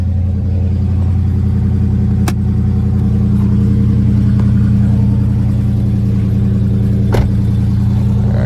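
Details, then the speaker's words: 2020 Dodge Charger Scat Pack at a Copart walkaround, at idle: a deep, steady V8 burble with an even firing rhythm and no knocks or ticks; the exhaust sounds consistent, so nothing major seems wrong with the motor. Coolant is low but present. "so y'all hear that exhaust it sounds pretty consistent so I don't think there's going to be anything wrong with the motor or at least nothing major"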